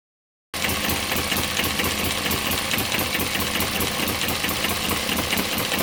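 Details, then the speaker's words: Model Stirling/steam engine (PM Research glass engine) driving a Baker fan under working load: even, strong chuff near four beats per second holding steady as the fan loads it, pulling cleanly; normal running under load. "oh I can hear this in curing and working against that that sounds really impressive"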